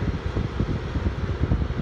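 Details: LG window AC unit running with compressor on and blowing cold, central unit also running: steady low whooshing airflow with a soft even flutter and no rattles or scraping; the fan runs normally.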